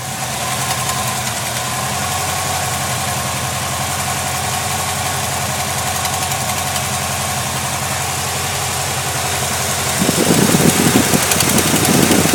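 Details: Chevrolet LT1 V8 at idle: uneven light ticking, about three to four per second, over a steady idle; suspected noisy lifter, unconfirmed.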